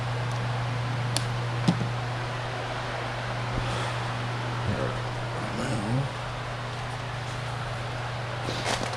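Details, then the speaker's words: Polaris 9550 pool cleaner with a replacement drive motor fitted: a steady low buzz with no change in pitch. Drive motor buzzing but not turning; the actual fault was the controller, not the motor. "it takes a while for the commands i mean i could hear it buzz if you could hear that on the video"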